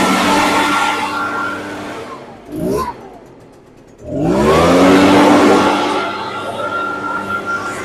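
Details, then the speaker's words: Echo PB580T two-stroke leaf blower rebuilt after a seized engine, started on choke with fresh fuel: runs high, drops briefly to idle, then revs cleanly back up; sounds healthy. "going to let that idle for a while. That sounds really good."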